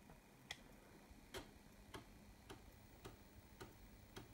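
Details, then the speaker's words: Commodore Amiga 1200 (circa 1992–93) floppy drive after restoration and reinstallation, loading a disk: crisp head-step clicks under two a second over faint drive hum, steady with no grinding or stalls; healthy drive. "It loads really nice now, no trouble, nothing, man. I mean, this is from 1992, 93, don't know. Great stuff, man. Let's listen to the floppy disk loading sound."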